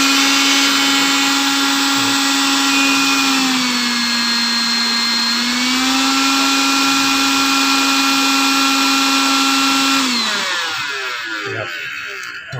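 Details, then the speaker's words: Electrolux cordless vacuum cleaner that cut out after switching on, tested after cleaning moisture and dust shorts off the circuit board's tiny SMD parts; its battery was found degraded and leaking: steady, even motor whine, slight pitch dip, smooth spin-down; normal. "ชาร์จปกติทุกอย่างครับไล่วงจรให้ใหม่หมดนะครับ"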